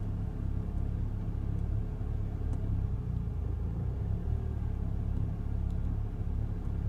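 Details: Ford Fiesta ST with engine management light on: low, steady idle with uneven, lumpy pulsing and no clean rhythm; engine idling rough, cause not clear.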